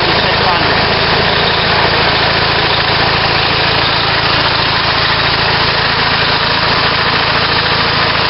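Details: On-farm natural gas compressor, a German-built 4-cylinder unit adapted for natural gas. The set gives a steady, even chug of about three and a half beats a second with no misses or knocks: normal running.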